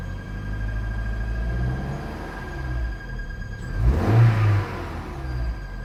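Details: Vauxhall Zafira B 1.6 petrol engine running: steady high-pitched squeak from engine bay, brief rev partway through; cause unknown.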